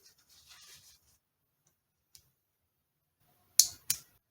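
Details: Toyota/Lexus transmission shift solenoid (measured 13.4 ohms), bench-tested with battery positive on the pin and negative on the bracket: near silence, then a crisp snap and second click as the plunger pulls in and releases; solenoid works.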